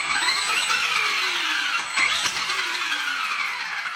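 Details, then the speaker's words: Hosim X08 brushless 4WD RC truck on a 3S pack: the motor whine rises and falls with throttle. It catches abruptly when throttle is reapplied after coasting, because the ESC locks onto the brake. "because what it's doing is when I go ahead and pull on the trigger see when it's coasting and I go to give it throttle again it locks onto the brake and then it causes an issue"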